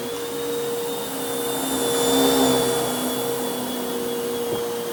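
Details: Bissell Lift-Off Multi Cyclonic Pet vacuum, model 89Q9, made mid-2013 and about 7 years old, running on the floor: steady motor hum with a clean constant whistle and airflow rush, no grinding or pitch wobble; running normally.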